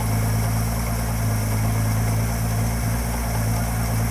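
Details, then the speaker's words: 1966 Ford 200 cid inline six (Falcon) just started for the first time: a heavy, steady low drone with an even beat and no misses; the idle is very loud, though the source isn't apparent. "I can't hear you it's really loud Jackson said it's really loud we let it idle for a minute"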